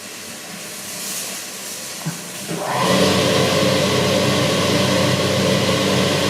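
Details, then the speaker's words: Old boiler-room cascade burner starting after a Siemens RLU222 controller replaced a Polygyr RWF21.20: quiet fan, a couple of clicks, then a whoosh as the flame catches and a steady roar settles in; normal ignition, set to stop at 72 °C flow. "Donc là le voleur on l'entend, il est en train de se mettre en marche."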